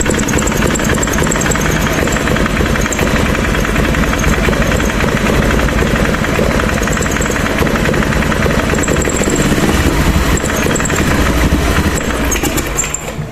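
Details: Honda Beat ESP scooter, hard to start, stumbles on slight throttle and won't rev: ragged uneven note that never picks up, then sags and dies; misfire.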